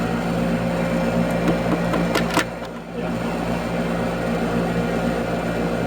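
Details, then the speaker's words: Airtemp/Trane AC condenser at system start-up: a steady electrical hum broken by a short cluster of sharp clicks and pops; the start relay is suspected of clicking repeatedly. "It sounded more like the start relay. Oh, there it goes. Sounds like she might be having an issue. You can hear it clicking. Having some sort of issue in there."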